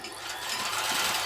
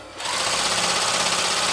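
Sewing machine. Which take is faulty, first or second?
first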